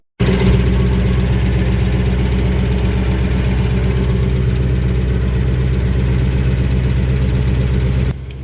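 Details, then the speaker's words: 1991 Lexus LS400 with Trans-Go shift kit, after a transmission oil pump seal replacement, idling while the transmission refills; fast busy clatter about four beats a second; transmission clatter, owner hopes it is the pump/torque converter taking up fluid. "I really hope that's the sound of things working and not broken things cuz that is a lot of clatter I don't know if you can hear it on video but there's quite a bit of clatter"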